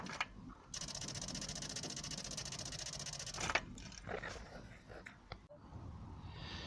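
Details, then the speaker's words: Volvo 480 ES 2.0 petrol barn find, ignition turned on: one of two ignition relays under fuse box (one feeds fuel pump) chatters rapidly for about three seconds; owner suspects a bad earth. "now these are the 2 ignition relays which are what are you one of which is used for the fuel pump and when I try to turn the ignition on you'll soon see and hear the problem that I've got"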